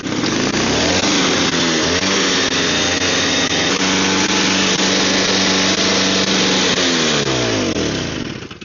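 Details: Snow blower small engine, primed and choked: revs up, holds a steady buzzing speed, then winds down smoothly with no misfire or stumble; running fine.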